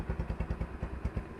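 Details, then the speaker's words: Bajaj Discover 135 after being submerged in water, with engine work done, carburetor cleaned and a new air filter: soft, even low thumping with no timing-chain tap or knock; idling smooth and healthy. "देखिए इससे हल्की सी भी किसी तरह की timing top की कोई भी साउंड नहीं है कोई धड़कन भी नहीं है किसी तरह की"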